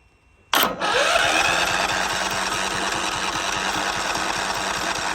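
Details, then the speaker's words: John Deere LT155 mower with a no-crank issue that earlier ran about 5 seconds and quit, started with choke; it catches with a burst, then putters unevenly and never settles. The owner suspects the flywheel magnets. "uhoh she ain't happy what's going on"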